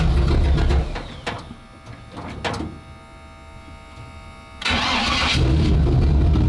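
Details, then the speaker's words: Starboard 350 Chev small block V8 in a twin-engine tank, port engine shut off: loud burble dropping to an uneven, lumpy run then picking back up; rougher than the port engine, throttle synchronization suspected out a bit, judged good enough to run. "starv engine doesn't sound anywhere near as happy as the the other one does. The other one sounds got that really nice throaty small block Chev sound to it. And also I think there's the throttle synchronization is out a bit as well too."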